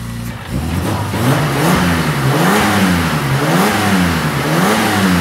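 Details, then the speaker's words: BMW E30 with turbocharged M52 engine after winter maintenance, new front brakes and refurbished wheels: smooth, clean rise and fall of revs with no knocks or misses; normal revving. "Sounds better. It starts running Yeah it does. Yeah. Fuck this shit. It runs nicely."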